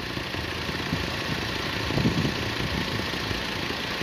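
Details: Motorcycle that won't start by the button, with a bad carburettor leaking fuel and a failed starter solenoid: fast, busy idle that never settles to a slow tickover; idle speed far too high.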